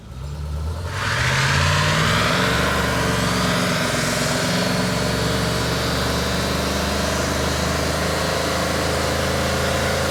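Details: 1965 Ford Ranchero with a 351 Cleveland 4V, exhaust rotted out; catches after a brief crank, flares up, then settles into a deep, steady V8 lope with no knocks or misses.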